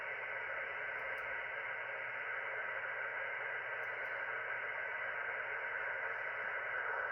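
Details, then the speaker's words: Ham radio receiver audio via SDR software: loud steady hiss with faint ticks and no signals; heavy QRM interference on the band, source unknown, possibly someone else's equipment. "Anyway, not a lot on the radio. I was on the radio earlier, but I didn't really see much going on other than local stuff on 80. But this noise on here is pretty bad."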